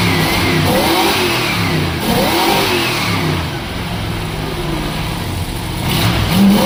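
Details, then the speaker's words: 1972 Plymouth Fury ex-police car, 440 big-block V8, barn find sat about a decade, just revived: picks up cleanly on each throttle blip and drops back to steady idle, no misfires or rattles; sounds healthy. "I can hardly believe it actually runs but it runs and it idles and it sounds"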